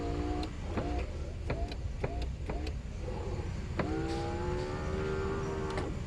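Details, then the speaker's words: Mercedes 300SL R129 with repaired roof control module, passenger window manual down: short motor whirs, then steady hum about two seconds as glass runs down evenly; window motor healthy. "obviously they go down easier because it's easier to go down i relay clicking i just want to show you that passenger side"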